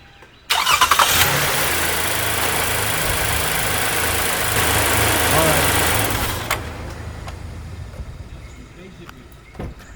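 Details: 2019 Toyota Sienna V6 on its 3-year-old Costco battery that was getting weak and needed trickle charging, second start attempt: about six seconds of labored, uneven cranking roar that then fades; sluggish hard start from the weak battery.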